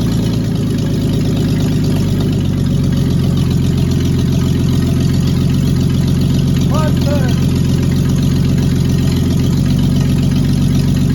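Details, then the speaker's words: Cab-over van conversion, running after the distributor cap was refitted (a vacuum leak was mentioned earlier): steady, smooth low idle with no ticks or misses and 40 lb oil pressure. Normal idle. "all right I'm calling that a win oh I forgot to look at my oil pressure let's do that 40 lb Perfect all right I like when things go like they should"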